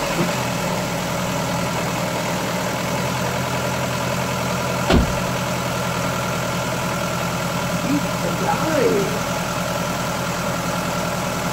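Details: Ford Fiesta 1.3 OHV engine before valve clearance adjustment: steady idle with a light, rapid clatter keeping time with the engine; valve tappet noise from clearances that are too wide.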